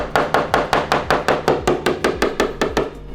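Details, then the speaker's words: Coin-tap test on a bird-strike-damaged composite aircraft radome: steady taps turn flatter and duller over delaminated fiberglass and composite layers, marking the defect. "there is a defect but it's clear now that change in sound indicates defect"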